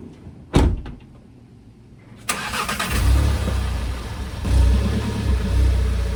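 A car pulls away and rolls with a steady low rumble and no clunk or knock from the brakes.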